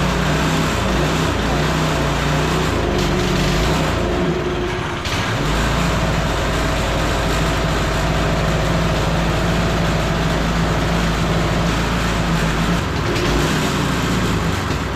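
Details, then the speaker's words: Long-sitting go-kart engine (clone type) with new carb and throttle cable: holds a fast, steady speed and won't drop to idle unless the governor is held down; high idle blamed on the governor; clutch also sounds a bit noisy. "Well, it doesn't run perfectly. We'll get to that. But you did see the perfect reason why we have these in the air. All right, so something is up with the governor on it. If I hold the governor down, I can get it down to idle down there."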